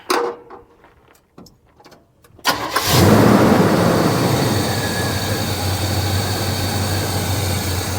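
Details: Square-body short-box truck V8 with carburetor, after correcting out-of-adjustment settings and before timing and carb tuning: quick crank, catches cleanly and settles into an even, steady idle with no misses; sounds healthy.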